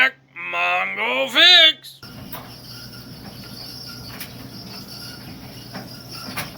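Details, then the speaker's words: Whirlpool LEN2000KQ1 dryer, still hot, running: a wailing, moaning squeal rises and falls as the drum turns, the squeak the owner is tearing it down to find. "It is time for us to figure out what causing this dryer to get all squeaky when it runs. Cuz that not good."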